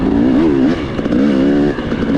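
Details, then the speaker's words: Dirt bike two-stroke with XTNG Gen3 Pro carburetor: note burbles and wavers unevenly at low speed, alternately flooding rich then pinging; carb loads up when ridden slowly, no setting fixes it. "Rich is flooding 1 second, and then it's pinging because it's bleeding that thing. And I haven't touched anything."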